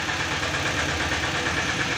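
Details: Tata Ace Zip XL diesel, towed in as a no-start with fault code P0090 (fuel pressure regulator), now started after repair: even clatter at a settled idle, steady rhythm with no stumbling or hunting; runs properly.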